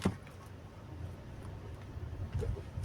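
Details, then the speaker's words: Hyundai Creta on a road test over speed humps: a low rolling rumble with sharp clunks from the front left side as the wheel drops; mechanic believes it is a worn front shock absorber, to be confirmed on disassembly. "अभी आया ये sound ये शक का ही sound है। लग रहा है मेरे को खोलने के बाद पता चलेगा। अभी देखो ये साउंड है शक का।"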